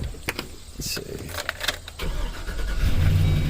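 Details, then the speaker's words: 2007 Chevrolet Express 3500 6.0L, after repair of a knock misdiagnosed as needing an engine (flexplate, spacer, torque converter and missing dowel pin replaced): cranks, catches and settles into steady low idle, no knock; normal start and idle. "look at that guys look at that no more engine knocking so i'll show you guys what it sounds like underneath"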